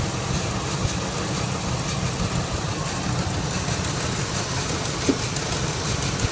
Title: 2001 F150 misfire after manifold gasket replacement.